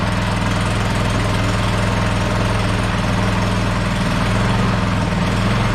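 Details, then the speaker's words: Troy-Bilt snowblower small engine after replacing a leaking carburetor gasket with a homemade one, started with choke then choke off: steady, even idle putter with no misses, surging or knocks; runs good, no fuel leaks. "That's that. Runs good. No leaks. No leaks. Awesome."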